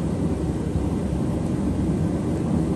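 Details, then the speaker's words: Propane ribbon-burner forge just lit, propane wide open with fan blowing: steady even low roar, no sputter or pulsing, smooth continuous burn; burner running cleanly. "God, it comes in fast, just boom. Who needs a wood stove, friends?"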